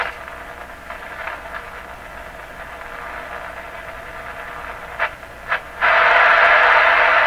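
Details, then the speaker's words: Stromberg Carlson Model 515 radio receiving a broadcast; steady rough hiss and crackle under signal, swelling louder, with consistent chugging, owner guesses internal oscillation, constant scratchiness makes tuning tricky. "scratchiness makes it tricky to tune this."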